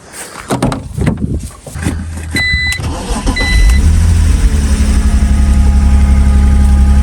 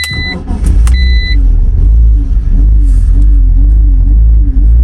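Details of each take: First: BMW Z4 (E85/E86) after the stuck idle control valve was removed and cleaned, which fixed the up-and-down idle without a new throttle body. A couple of short bursts, then a deep, steady, even idle with no hunting or surging. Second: BMW Z4 (E85/E86) petrol engine idling with a low rumble rising and falling unevenly; a new part changed nothing, and the idle control valve was found stuck.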